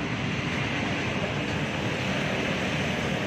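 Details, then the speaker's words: Sanyo PDH 250 B jet pump after motor rewinding with original factory winding counts, 7 µF capacitor: even steady whirring hiss, no knocking, rubbing or grinding; almost inaudible, running normally. Earlier burnout blamed on broken fan rubbing. "suaranya nyaris tak terdengar"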